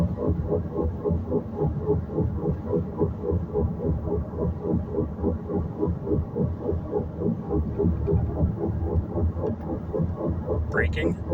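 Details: Front right wheel grinding as the tire turns, louder turning right, quieter turning left, not affected by braking; caliper, pads, rotor fine, backing plate rusted but not seen rubbing; rhythmic grind three to four times a second.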